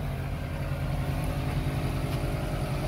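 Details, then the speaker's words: 2007 Mercedes ML63 AMG (W164) with air suspension, after left front upper control arm replacement for worn bushings; engine idling while the air suspension compressor pumps the vehicle up with a steady, even low pulsing hum; working normally. "compressors working it work it girl work it work it work it yes"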